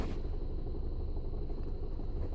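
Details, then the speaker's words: Skoda Octavia A7 1.4 turbo with 6-speed manual, cold engine: uneven rattle at idle with clutch pedal released that disappears when the pedal is pressed; clutch replaced, after which the rattle was gone. "стук сцепления на холодную. Это должно быть слышно. Нажимаю на сцепление, звук пропадет."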